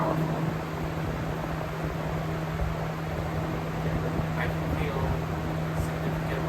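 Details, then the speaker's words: 1999 Lasko 3733 box fan after cleaning, on speed 3 (high): steady air rush over even low motor hum, no rattle or labouring; high speed works normally and powerfully, though speed 2 is broken. "But, speed number three is okay. And it's very powerful."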